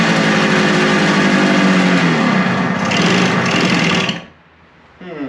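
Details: Suzuki two-stroke motorcycle after carburetor cleaning, restarted on choke: buzzy, uneven note wavers and dies after about four seconds; rough running and stalling, owner wonders if it is starving for fuel and opens the adjustment screw more.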